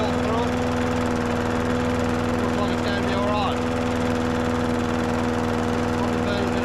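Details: Old Masport mower, about 35-40 years old, sitting unstarted about six years, fresh oil and fuel added: constant, even drone with no surging, misfires or knocks; running healthy.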